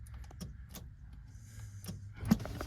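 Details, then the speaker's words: Nissan Pathfinder, key turned with clutch and brake pressed: a single sharp click, no cranking. Jumped at the solenoid, the starter spins but seems not to engage; cause suspected, not confirmed. "and then I'll show you here Clutch and Brake if I click just clicks"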